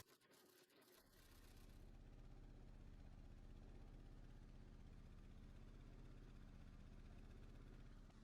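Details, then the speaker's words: Opel/Vauxhall Astra H 1.8 with engine light on: heavy, shaking idle with a lumpy low pulse about four a second, no smooth beat; codes show misfire on cylinders one and four plus camshaft position and exhaust faults. "Yeah, it's running really hard but really intense. The airbox practically jumps right out at you. You just can't miss it. It's that pronounced."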